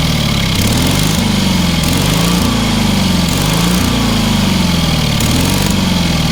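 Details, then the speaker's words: Engine on a free, long-neglected trailer-mounted man lift (cherry picker), pressure-lubricated with quite a bit of water in the oil and a corroded intake, throttle half open; steady small-engine drone, gently wavering pitch, even unbroken firing, no knock or miss; runs well. "Quite a bit of water in that oil. Yeah. That thing runs amazingly well for what it is."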